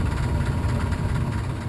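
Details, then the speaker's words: Furnace blower running: low rough rumbling rattle over a steady blower hum, indicating an imbalance at the fan blower motor squirrel cage wheel; blower wheel imbalance rattle. "your furnace has a rattle similar to this one it's an indicator that you have an imbalance at the squirrel cage"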